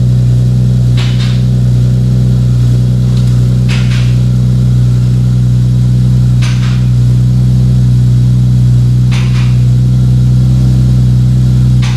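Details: 2JZ-GTE twin-turbo swapped MKIII Supra after reassembly, five-dollar failed part fixed and turbo blankets added: steady, smooth low drone at even pitch with only a few light background taps; engine sounds healthy at idle.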